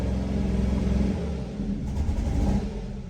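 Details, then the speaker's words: 2014 Dodge Dart 2.4L MultiAir with a used junkyard MultiAir brick, held at wide open throttle: loud, low drone with uneven, stumbling pulses; owner suspects spark knock and some brick solenoids not pumped up. "There, the RPMs are starting to climb a little. I don't like that sound. That's a spark knock though."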